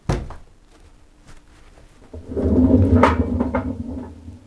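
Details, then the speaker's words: Zanussi Jetsystem+ 8kg 1400 ZWJ14591W washing machine, loud rumbling on spin; drum rocked by hand gives hollow thunks and rattling with about half an inch up-and-down play from worn drum bearings. "if you can hear that you can see maybe you can see it's got about half an inch up and down play there"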